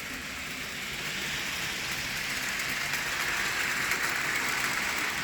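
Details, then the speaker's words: Thomas the Tank Engine model locomotive pulling milk tankers and brake van, picking up speed after clearing the switch: steady even whir with soft rapid wheel patter, no stutter; runs smoothly, normal. "once we're clear ly switch and let's pick up a little speed and there's our little Thomas he's running good"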